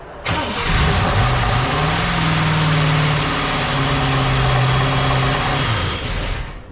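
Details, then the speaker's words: 1961 Cadillac 390 V8 after fixing a massive oil leak, first start: catches and settles into an uneven, lumpy idle with irregular pulses and possible backfire pop; runs rough, cause unclear. "that doesn't sound very good did it did it was that backfiring sound like it"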